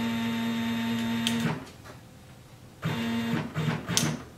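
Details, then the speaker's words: Sieg X2 CNC Fusion Z axis with closed-loop NEMA 23 425 oz-in steppers, after realignment, oiling the ball nut with way oil and lowering driver current: even stepper hum, no grinding or skipped steps, motors cool; torque-stall risk being watched. "I'm gonna watch that really closely but it does sound a lot better and the motors are nice and cool they usually get warmth"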